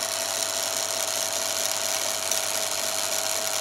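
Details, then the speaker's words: Yaesu G5500 antenna rotator elevation motor driving up and down: thin steady hum over heavy hiss, motor slowing dramatically and labouring near stall; failing original run capacitor, initially mistaken for a brake fault. "as that capacitor breaks down that motor is slowing down it's really struggling"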